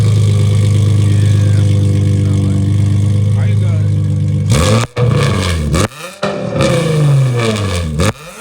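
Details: Infiniti G35 coupe, VQ35DE V6, driving after an exhaust leak was dealt with: deep smooth drone, then sharp throttle blips on downshifts rising and falling cleanly with no puffing or ticking; exhaust sealed and healthy.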